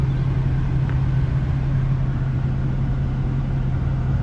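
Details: Infiniti V36 with 241,000 miles, warm at regular operating temperature, idling while coolant system is burped with heat on: low, steady idle rumble with no misses, knocks or hunting; normal and settled.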